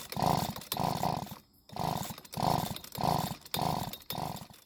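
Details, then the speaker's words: Husqvarna two-stroke leaf blower that ran one day and wouldn't start the next, with correctly mixed fuel: repeated pull-cord cranking about every 0.7 s, catching for one brief second but never running; flooding from a stuck carburettor metering diaphragm. "well the bad news is that we weren't able to get it to start and run but the good news is that it did try and start for one very brief second"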